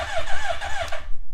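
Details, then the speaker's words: Hayabusa street-bike engine (8,630 miles) swapped into a Can-Am X3, first start: starter spins it over with steady, evenly spaced chuffs and no skipped beat, cylinders sounding even with no dead hole, before a compression test. "it sounds like it kind of sounds like all of them you know are fairly even and stuff it doesn't sound like it has a dead hole in it which is super good"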